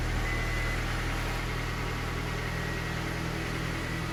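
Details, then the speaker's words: 1998–2002 Honda Accord 4-cylinder idling after power steering pump replacement, belt refitted and fluid topped up: quiet, even idle with a steady low hum and no whine or groan from the pump. Sounds healthy. "we also cleared the check engine light because that was on for the power steering no noise at all another flawless install"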